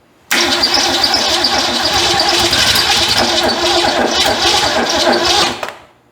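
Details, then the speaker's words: Ford Fairmont sitting 35 years, on wall-plugged battery charger, exhaust manifold smog tube broken off leaving a hole: fires right away, runs rough and uneven about five seconds, then sputters out and stalls. "it wants to I can say it ran officially but y'all know me we got to have it better than that"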